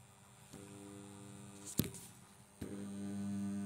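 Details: Ceiling fan that only runs when pushed with a stick, switched on: low steady electrical hum with one clack while blades stay still; motor energised but stalled, cause not confirmed.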